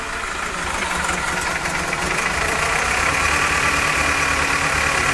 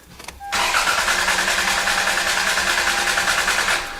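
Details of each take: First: 1998 Toyota Camry with dead miss at idle: uneven loping beat with recurring stumble; codes show misfires on cylinders 2 and 3, random misfire, knock sensor and EGR flow codes; EGR valve checked, not stuck open. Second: 1998 Toyota Camry with misfires on cylinders 2 and 3, cranked with the ignition coils unplugged. The starter spins evenly and each compression pulse matches the last: good compression across cylinders.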